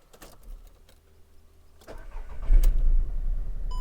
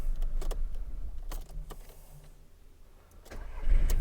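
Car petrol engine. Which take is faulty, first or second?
first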